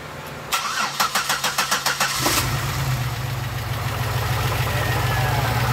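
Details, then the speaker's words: 2006 Pontiac Grand Prix base V6 first start after top swap (heads from an '07 with all six exhaust valve seals replaced), oil and coolant filled; quick cranking, then steady even idle, no knocks or misses – much smoother. "oh yeah we got smart little cheese in are you happier yeah bro everyone is so much smoother now"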